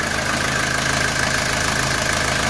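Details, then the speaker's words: 1982 Mercedes 240D diesel after valve adjustment, throttle linkage adjustment, new return lines, no leaks from valve cover gasket or injector lines: steady even diesel clatter at idle, constant pitch, no stumbling or extra knocks. Normal diesel idle. "we've got good idle the valve's adjusted and the valve cover gasket not leaking and throttle linkage adjusted"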